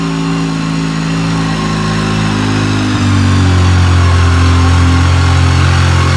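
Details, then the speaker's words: Polaris RZR 800 twin engine smoking very badly: rough idle rising into a rev with even quick pulsing; cause being diagnosed between overfueling and burning oil. "As you can see, she's smoking really bad. So we need to figure out why it's smoking, whether it's fuel, overfueling, oil, burning oil, or a combination of both."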